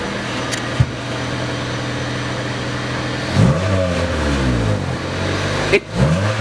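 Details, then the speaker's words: Honda Civic with its holed muffler patched using Flex Tape and Flex Seal and reinstalled, not yet up to temperature: engine revs up and falls back twice with a deep, fairly subdued exhaust note, now quieter than before. "It kind of works, yeah. It kind of works. Yeah. Oh. What was that? I don't know, but it works. It's so quiet."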